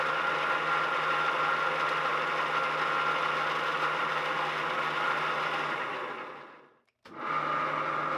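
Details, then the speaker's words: Van Norman duplex milling machine, three-phase motor on a rotary phase converter at its first start in decades: steady coarse grinding with a thin high whine that persists on spin-down. Owner suspects a bad bearing on the far side of the motor; not confirmed. "right there is the electric motor and it sounds like there's a bad bearing on this far side of the electric motor that is what's causing the grinding I believe"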